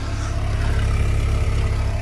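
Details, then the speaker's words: Cheap Mk3 Volkswagen Golf convertible, petrol, idling, left running: low, smooth, even idle with no ticking or misses; engine running fine. "Sounding pretty good. So yeah, I'm just gonna let it run for a bit."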